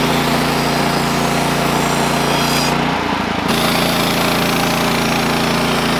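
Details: Sawmill engine gives a steady, loud drone, and the cut briefly sags and drops out as the blade loses drive under load. The cause was a worn-out, slipping clutch and a worn drive belt.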